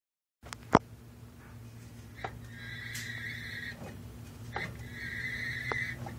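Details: Chevrolet Silverado with 460LE transmission, driveshaft turned by hand: a high thin whining squeal rises in two bursts from the transmission, only when rotating counterclockwise (drive direction), silent clockwise (reverse).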